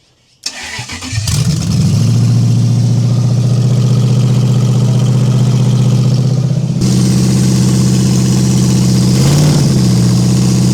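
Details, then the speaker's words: Toyota 1UZ-FE V8 race car, first starts in years after rewiring, manifolds on, flames from exhaust: catches after rough crank, loud slightly uneven idle with stumbles as ECU learns, then steadies; rough running. "Oh, it's learning. It's learning. She's getting there, man. She wants to go."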